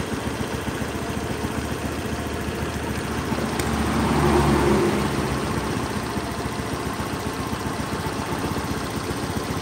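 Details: Honda Beat scooter after TPS check and throttle body cleaning, idle being set around 1500–1600 rpm: steady even putter, revs lifting briefly midway then settling to a smooth regular idle.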